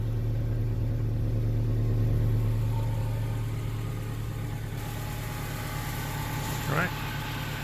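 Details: Honda CR-V 4WD, steady low even idle hum with no puffing, ticking or hissing at the exhaust joints after a split replacement flange was fitted where the intermediate pipe meets the rear muffler; exhaust sealed and running normally.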